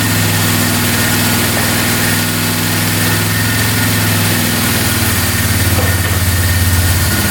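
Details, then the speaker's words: 2002 Polaris Magnum 325 4x4 ATV, bought as a non-runner needing a carb clean, on first start without choke. It has an even single-cylinder idle with a slight lift near the end and no knocks or misses, plus a beeping battery; engine sounds really good. "Sounds pretty good. Not bad. That's without the choke on. Get the beeping battery, which is annoying, but engine sounds really good. No knocking."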